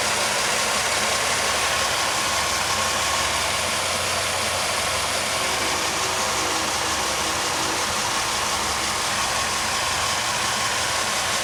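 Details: 2001 Pontiac Aztek GT idling after an oil change (old oil had Seafoam for sludge flushing); faulty closed oil pressure switch pending replacement: steady, even idle with constant hum and no knocks or ticks; engine sounds healthy.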